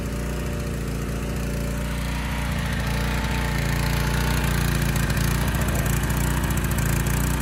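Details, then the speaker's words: Honda EG1400x generator bought non-running. It runs slightly slow at 58 Hz, 126.1 V, with a steady low drone and slight lumpy pulse, rising toward 60 Hz. Running rich, slightly low speed. "started second pull and sounded good at least for about a minute but i could tell it was running rich"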